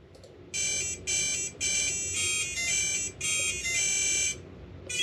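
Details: Quadcopter with BLHeli-S ESCs freshly flashed to Bluejay firmware and a custom melody written: a run of clear high beeps in a marching tune from the motors at power-up. Normal ESC startup melody.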